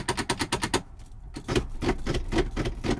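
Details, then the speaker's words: 2023 Ford Bronco Badlands while driving, in-cabin with little soundproofing: quick dry clicks about three a second over road noise, something clicking under the car; source not identified. "there is no soundproofing and you can hear the something clicking"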